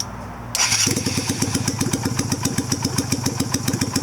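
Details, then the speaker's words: 2000 Yamaha Virago XV250 V-twin, warmed up at about 40°F ambient, carburetor with just the new shorter spring: catches and settles into a slow, lumpy idle loping about four beats a second, idle set too low. "idle needs to be up a little bit. It's been sitting out here warm enough, so"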